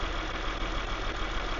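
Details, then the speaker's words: Six-cylinder engine at idle with coils unplugged one by one to find a misfire: shaking and misfire worsen when a good coil is disconnected, low uneven stumbling idle. "Si se fijan, ahí empezó a temblar más y a fallar más."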